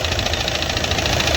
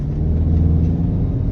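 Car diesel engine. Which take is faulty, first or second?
first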